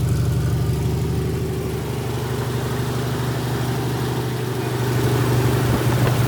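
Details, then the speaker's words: Freshly rebuilt 1977 Toyota 2F in a 1982 FJ45 pickup (new rings, bearings, shaved head, new carb, headers) after 15-minute break-in at 1,500 rpm: steady low rumble at raised idle, no misses or knocks; ran good, only minor coolant leaks; normal. "success 15 minutes ran good no issues"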